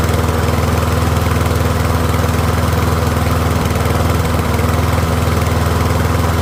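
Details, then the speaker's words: Troy-Bilt rear-wheel-drive mower with Briggs & Stratton engine, after ultrasonic carb cleaning, warmed up and left running a few minutes on partial fuel, pretty quiet: steady, even single-cylinder beat at constant speed, no misses or surging; running healthy. "So, I'll let it run for a few minutes. It is a pretty quiet mower."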